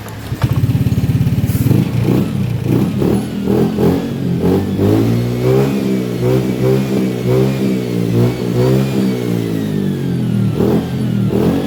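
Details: Honda Beat FI scooter with earlier hesitation up to 40 km/h and no fault codes, after a throttle/TPS reset adjustment. It picks up cleanly with steady firing, and throttle blips rise and settle without stumbling; it runs normally now.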